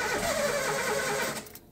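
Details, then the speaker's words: 2004–2005 Daihatsu Terios that sat unused for a while, with cobwebs, chewed wiring and its computer removed, being cranked: the starter whirs steadily for over a second with no catch or firing, then drops away. Cranks but won't start; cause not yet diagnosed. "no prende entonces lo que voy a hacer aquí es primero ordenar todo como original"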